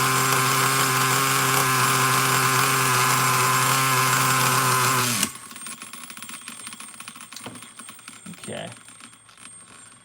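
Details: Traxxas Nitro Slash nitro engine on the bench: a steady high buzz that never drops back to idle, then cuts out. The throttle linkage is slightly off and holding the carburetor open.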